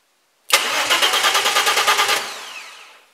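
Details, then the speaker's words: Race car build (R5 Maxi replica) with new start/stop button and kill switch wired: starter spins steadily about eight chugs a second for under two seconds, then stops; engine never fires because the ignition wiring from the old ignition lock isn't connected yet. "lumière s'allume et le démarreur tout en gommant forcément elle démarre pas parce que là j'ai pas encore raccordés tout"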